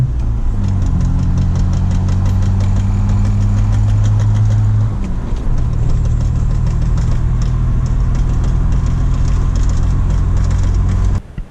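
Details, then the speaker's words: BMW E46 325xi touring, manual, under throttle: steady engine drone with faint quick clicking that follows wheel speed, from a worn CV axle whose boot is torn again. "So as you can see, it's like when you're giving it gas, you can hear that clicking that goes with wheel speed."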